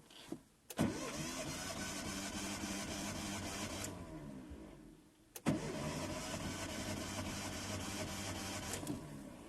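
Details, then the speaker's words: Hyundai Verna 1.5 SOHC with misfire, compression test with gauge in cylinder 3: steady even cranking chug in two spells, reading about 157–160 psi, normal, versus about 60 psi on the low cylinder. "في فرق شوي لأن حاطين شمعة واحدة، كأن شمعة واحدة اللي هو الجيش. شوفوا كم قرا معانا، تقريبا 157 160 بي اس اي، قريب 160 بي اس اي."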